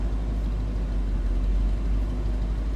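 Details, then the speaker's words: 1962 Ford Thunderbird hardtop, 390 V8. Heard from the rear of the car: deep, soft, even idle rumble with no knocks or ticks; very quiet, smooth idle. "Boy, that baby's quiet."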